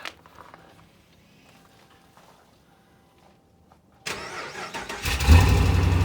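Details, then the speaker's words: 2015 RAM 5.7 HEMI V8 first start after fitting aftermarket headers with new Fel-Pro gaskets: loud, rough, raspy idle from an exhaust leak at the passenger-side header gasket; driver side is quiet. "all right so quick little side note driver's side is quiet as a mouse the passenger side is leaking pretty good"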